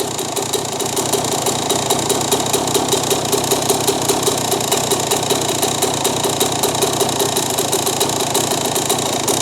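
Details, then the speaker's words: 2001 Yamaha YZ125, warmed up, air-fuel screw being turned out: crackly uneven two-stroke idle with rattly burble, rpm rising and smoothing to a clean idle; rough idle improving with mixture adjustment, pilot jet may need dropping one size. "You can already hear the bike getting cleaner in the idle."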